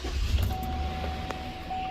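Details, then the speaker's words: 2013 GMC Sierra engine started after oil change with Pennzoil Ultra Platinum, pre-primed by cranking with pedal floored: catches and settles into a smooth, even low rumble with no knocks or ticks; owner notes it runs much quieter on this oil. "I noticed this engine is so much quieter on this Pennzoil Ultra Platinum than it is on other ones."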